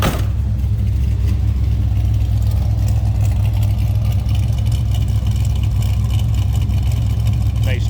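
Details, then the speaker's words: 1968 Plymouth Barracuda with 440 V8, automatic transmission and Borla exhaust, heard from the rear: deep, even, throaty rumble at steady idle with no misses or ticks; normal healthy exhaust note. "Nice deep throaty exhaust note."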